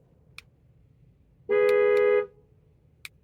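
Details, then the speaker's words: Honda CR-V, testing a key just programmed with an Autel IM508: one short steady horn toot under a second long over quiet surroundings, the normal chirp acknowledging the remote lock command. "Okay, now we'll just take the other key because we know it locks and unlocks, and the trunk's going to work also."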